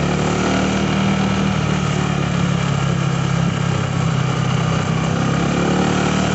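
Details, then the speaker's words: Honda Vario 125/150 scooter idling with a light metallic jingle like a worn bearing; the CVT was fully replaced without curing it, and the rattle likely came from the center stand not retracting fully. "Ini dia ada suara kayak gemericik apa ya kayak ada suara kayak bearing aus"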